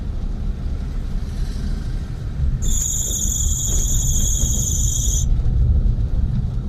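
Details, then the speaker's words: Daihatsu Mira ES, recorded while driving as the accelerator is released and the alternator charges under load: sharp high squeal for a couple of seconds over road rumble; a worn, dry alternator belt slipping. "जीत दोस्तों यह आपने देखा की जैसी इस गाड़ी की accelerator को हम कम कर रहे हैं तो ये एक खास उनकी बेल्ट"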